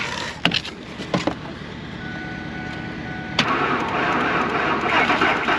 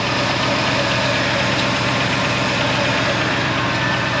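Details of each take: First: Old Ford F-150 truck at about minus 37 to 40 degrees, sat 4-5 days, jump pack at 75%: cold labouring crank, rough uneven churn with a few hopeful catches, oil like sludge, never fires; cold cranking no start. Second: Old Ford F-150 just started after 45 tries at about minus 25 to minus 40, with the block heater plugged in: steady, even idle over a hissy background, no stumbling; normal cold idle after a hard cold start.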